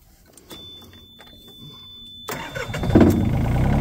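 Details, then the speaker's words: Yanmar ViO35 mini excavator after fixing a shorted wire rubbing on metal (taped and zip-tied): after a pause the starter cranks briefly and the diesel catches within a second, settling into a steady run. "I Zippy tied this to the wiring harness so it won't rub on anything metal anymore and now I can come over here and start"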